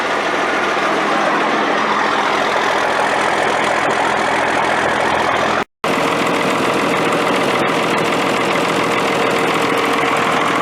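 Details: Military Deuce 'n a Half diesel truck idling after an ether start, with fuel delivery problems and a suspected air leak: big diesel chugging steadily with usual clatter, no misses or stumbles; runs properly.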